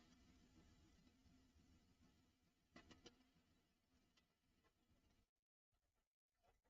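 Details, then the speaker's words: Model train locomotive motor on the track, dead and straining in one direction, but in the other direction a faint even buzz, running normally; owner next plans to replace the brushes. "But it's not a happy bunny. But then in the other direction, as you can hear, it's fine."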